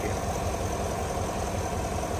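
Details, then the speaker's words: 2022 Chevrolet Suburban V8 after engine noise/misfire repair with flashing check-engine light; head refitted in torque sequence. Smooth, even idle with a steady low rumble and no valvetrain ticking or knocking; runs well after reassembly. "Podemos ver que ya está funcionando bien el motor después de toda la separación que se hizo, ¿no?"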